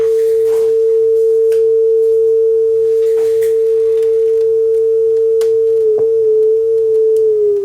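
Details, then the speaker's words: Akai HX-R44 auto-reverse cassette deck during full service, after speed calibration from 447 Hz down to 440 Hz; pure, steady test tone at concert A without wavering; correct tape speed. "That sounds about right. 440. I think I'm right on."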